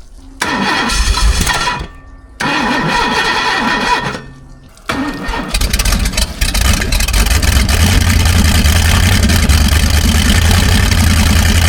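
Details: 1978 Hawaiian 21ft jet boat, Ford 460 big-block, unrun for many years: two cranking bursts with pauses, then catches and runs rough, uneven, struggling to hold; carb bowl overflowing, mouse nest in exhaust, carburetor (Motorcraft/Holley marine) probably to be pulled.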